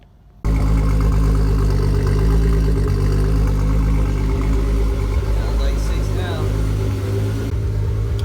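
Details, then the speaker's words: Six-cylinder engine idling with a deep, steady, even firing beat and no stumble; earlier misfire fixed after debris caught in the injectors was cleared. "oh here it sounded so smooth finally so something got caught in the injectors and that's why it was misfiring like crazy"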